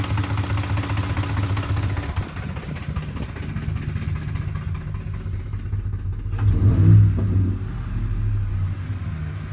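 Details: 2007 Ford F-150 5.4 V8 at idle: deep idle pulsing unevenly, dipping and surging at random; fixed by replacing the cam phasers and VCT solenoids.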